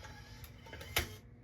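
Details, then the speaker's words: 1993 Mazda Miata MSSS1 stereo CD unit at 12 V: faint whirring and clicks as the laser homes, then no playback. Board swapped and motor ruled out; fault suspected in another section, since the cassette deck works. "hear that so it's homing the laser it's not putting out so we've swapped out the board we know the board's not the problem"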